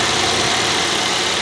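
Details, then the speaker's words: Toyota Vios (Batman) after replacing spark plugs to cure a misfire: even steady idle under a lot of hiss with no skips or stumbles, running smoothly on all cylinders; normal idle. "muna natin dati kung may Palo pa siya so ayan wala na siyang valo"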